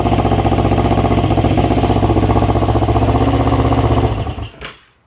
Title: EX500 cylinder misfire